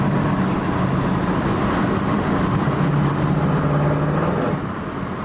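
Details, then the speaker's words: 1972 Chevrolet El Camino with big-block 454-marked GM crate engine accelerating on the road: deep even V8 rumble pulling cleanly, no knocks or stumbles; nice firm shifts into second and third. "And we'll give this guy a little shot so you can hear what it sounds like. Nice firm shifts, both into second and into third."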